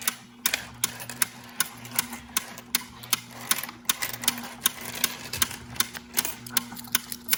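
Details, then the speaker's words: Royal Sovereign Quick Sort coin sorter after about 14 months of use, run with coins: sharp, fairly regular clicks, two or three a second, over rattling coins are its normal anti-jam action. "So what it is if you click run right here, the little button right here, you will hear like this clicking noise, and that's normal."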